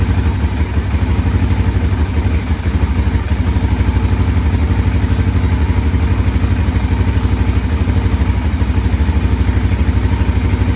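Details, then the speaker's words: 2005 Can-Am DS650 quad, bought for $1000, run on choke then choke off: even, steady thumping of the big single at fast idle, no misses, knocks or rattles; engine running healthy. "seems to run pretty good now"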